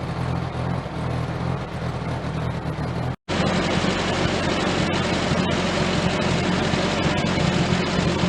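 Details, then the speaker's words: 1098cc A-series four-cylinder after SU HS2 carburetor service: new float, gaskets, jet and leaner AN needle replacing the rich H6, points cleaned and reset. Steady, even beat that revs cleanly with no stumble or miss; running healthy. "so we all it's all back together now all seem to be running quite well"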